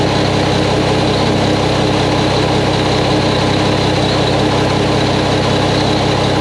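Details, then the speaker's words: Mack truck diesel engine first start after reassembly including engine brake work, no leaks seen; steady, even idle with smooth low rumble and no knocks or misses — normal idle. "now well Bill she sounds good I don't see anything leaking"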